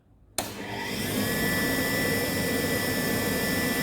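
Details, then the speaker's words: Indesit 8 kg vented dryer (IDC 85), which previously only hummed with the drum not turning; after replacing the starting capacitor, motor kicks in cleanly into a steady even hum with faint constant whine, drum turning normally. "yeah it is working that's when we resolve the problem because only the capacitor problem the machine is running well"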